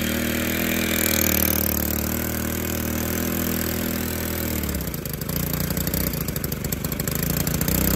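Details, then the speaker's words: Stihl FS 110R 4-Mix trimmer on bench, clutch not engaging, throttle fully closed (came in for broken clutch spring): buzzes fast and high, never dropping to slow idle; won't idle down, cause unknown. "i'm going to crank it up and let it idle and this thing just screams with the throttle being all the way closed listen to the way it's idling"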